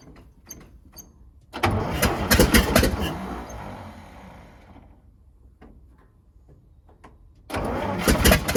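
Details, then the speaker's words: Old International winch truck left sitting in the woods, first start: cranks and fires into a loud, raspy, puffing run that fades while building air pressure; shut off to check radiator coolant; sounds like a bad exhaust leak. "You can hear in here, it was building air pressure. So that's good. I did shut it off because I want to make sure that the radiator's got plenty of coolant in it. I don't want it to get too hot, but it also sounds like it's got an exhaust leak pretty bad, so I have to look into that."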